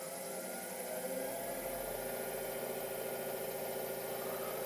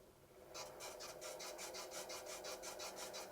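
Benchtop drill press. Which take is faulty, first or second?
second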